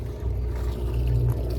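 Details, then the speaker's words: 1993 Sea Ray 330 Sundancer boat's 5 kW generator, heard from the stern as it exhausts through the main engine exhaust, runs under load with a steady deep rumble and even burble, putting out 120 volts; nice and quiet, normal running. "putting out 120 volts, no problem there. Nice and quiet."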